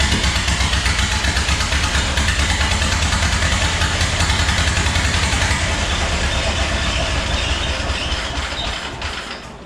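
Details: 1929 Ford Model A four-cylinder, start after fitting the distributor cap and rotor: it fires up with a quick, even exhaust beat and some rattle, then winds down. Water pump not spinning, belt worn. Normal running.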